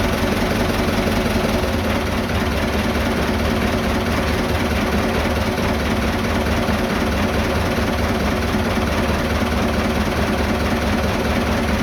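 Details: Vintage diesel tractor (the "77") that wouldn't start after sitting two days; tank found empty, diesel added and lift pump primed. Even, steady idle clatter with no misses, knocks or hunting over twelve seconds. Healthy.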